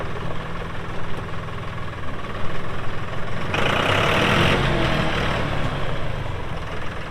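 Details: 2018 Massey Ferguson 2605H 4WD compact tractor, 310 hours, 911X front loader: steady, even diesel chug, smooth low rumble swelling briefly under load, no knocks or rattles; normal healthy running.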